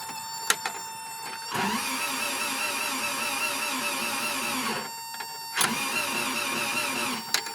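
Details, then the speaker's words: 1984 Toyota SR5 pickup, 22R engine, parked 23 years, cold day, clutch pressed; starter spins the engine in two long even bursts but it never fires: cranks, no start; next step is disconnecting spark to build oil pressure. "cranking so what we're gonna do actually is i'm gonna go disconnect something underneath the hood i'm gonna disconnect uh the spark"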